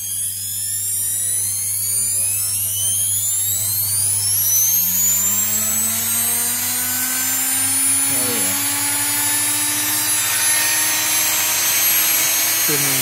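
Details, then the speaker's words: 660 W washing machine motor, rated up to 15,000 rpm, on a TDA1085C tachogenerator speed regulator turned fully up: whine climbs steadily in pitch for several seconds, then holds a high even scream; normal run-up to full speed. "very very very very fast. I don't know you can hear me or no guys but ramps is just a crazy absolutely crazy absolutely crazy."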